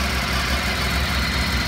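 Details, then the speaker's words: Honda RC30 VFR750R V4 after a complete engine overhaul (camshaft drive train, bearings, crankshaft with worn sprocket, cam drive gear, broken camshaft and gaskets replaced). Cold, just started, a little choke: even, steady low hum with no misses, knocks or rattles. Normal, stable idle. "Engine is right cool, just started it, with a little choke in it, runs very smooth, idle, stable."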